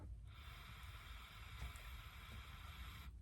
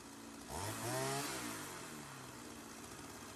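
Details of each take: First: Sachs-Dolmar 100 chainsaw that won't idle down even after a carb rebuild, pressurized with an air compressor nozzle: steady airy hiss of air escaping at the gasket by the intake area. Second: Sachs-Dolmar 100 chainsaw that wouldn't idle even after a carb rebuild, now fuelled with chain fitted for the initial tune: two-stroke buzz blips up twice and drops back to a steady idle each time without stalling, so it now holds idle.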